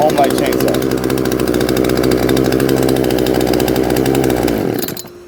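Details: Homelite chainsaw that wouldn't start, after removing and cleaning its dirty carburetor: small two-stroke runs at a steady, even buzz for several seconds, then cuts off cleanly; normal running.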